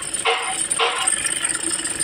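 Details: Diesel Toyota Innova/Fortuner/Hilux with a rough engine sound: harsh rattling bursts from the front belt drive that persist with the AC off and compressor clutch disengaged, pointing to a faulty alternator one-way pulley.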